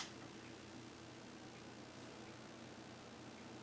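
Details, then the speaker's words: Commodore Amiga 2000 with a newly installed Noctua NF-A8 fan, case lid off: a soft, even airy hiss with a faint low hum and no ticking or rattle. The fan runs quietly and moves plenty of air. "much quieter wow that's moving some air yep that looks good"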